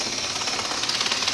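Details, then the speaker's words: Bachmann HO-scale Canadian diesel model locomotive that was running poorly, running in reverse: a thin, high, rough buzzing whir, less noticeable going forward; abnormal motor or gear noise of unclear cause. "I'm not wild about that noise it makes going backwards it makes a bit of noise going forwards when it comes down to it but it's more noticeable going backwards"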